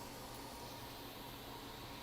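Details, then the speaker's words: 2012 13-inch MacBook Air A1466 replacement logic board booting with the DC-in board cable unplugged, where the heat pipe sensors sit; constant airy whoosh as the fan spins flat out at max rpm and the boot is slow. "boot so the fan is now spinning up on high or max rpm computer seems to be taking a little bit longer to boot"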